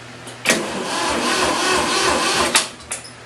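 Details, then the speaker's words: 1972 Ford 2000 three-cylinder gas tractor with Pertronix electronic ignition, choked: about two seconds of labored, slow cranking that never catches, then stops; battery too weak. "Battery doesn't sound like it's up."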